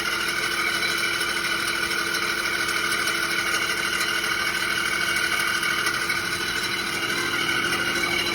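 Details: 2006 Audi A6 4.2 V8 idling with a loud, steady high-pitched screech that started while driving and persists on the morning start; it seems to come from the bell housing near the starter. Owner doubts the timing tensioner and suspects the water pump; cause unknown.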